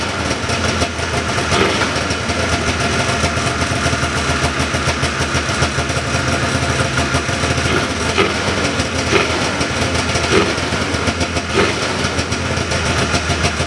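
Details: 1979 John Deere Cyclone 340 two-stroke snowmobile after carb cleaning: ticking over evenly with steady, slightly fast rattle, no stumbles or misses; air box still off. Normal idle.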